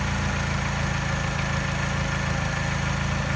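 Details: Mini with a mild engine tap at idle that disappears above 1200 rpm and a rough idle. Light regular tap about twice per second with an uneven beat and a slight miss the scanner doesn't detect. Persists after timing chain, tensioner and piston ring replacement; cause unknown.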